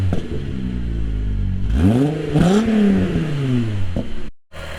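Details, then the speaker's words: MK3 Jetta GLX 12v VR6 after a tune-up that cured its misfire: clean idle, then a smooth rev rising and falling evenly without stumbling; runs on all cylinders, no longer misfiring. "Guys, the car's running 100 times better. It's not misfiring anymore. It's super, super smooth. The car sounds super good."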